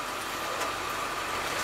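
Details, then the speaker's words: Used school bus on a test drive: a thin steady squeak rides over the idling engine when the wheel is turned, with a steering vibration that shows when turning a little left; the owner suspects the steering pump, not confirmed. "so we got some kind of steering vibration you guys hear that it's like squeaking and all kinds of stuff"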